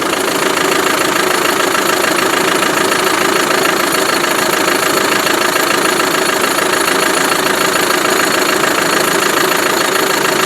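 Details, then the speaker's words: Land Rover Defender diesel idling with an even, steady rattling clatter, no misses or knocks; sounds healthy though a bit smoky, possibly a blocked separator. "Making that rattling noise. it sounds very good."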